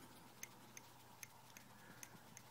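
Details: 17-inch MacBook Pro recorded across the keyboard, hard drive and SuperDrive areas: faint sharp clicks every third to half second in a quiet room; internal clicking, source not yet identified.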